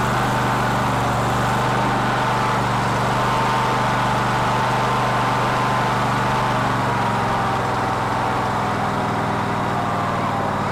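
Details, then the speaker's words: Cub Cadet LT1046 lawn tractor that runs rough: engine keeps running but beat wavers unevenly instead of crisp; black suggests fuel-related, carburetor appears to be flooding. "so since it's black I'm gonna say it's fuel related and does a bridge anyway but it would appear to be floating out"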